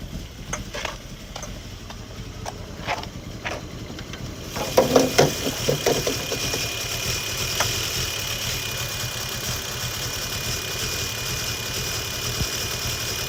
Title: 2002 Sportcross rough idle